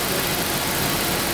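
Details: 1992 Daimler Double Six Jaguar V12, higher rpm, stethoscope on the water pump: a steady even whir with no grinding or knocking; the pump sounds healthy, and the odd gushing noise was traced to the oil filter.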